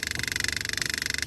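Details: 2004 Buick LeSabre that sat for years, fuel pump wired to another vehicle's battery pumping bad fuel out of the tank: fast, even buzzing pulse, pump straining as its inline filter clogs with sediment.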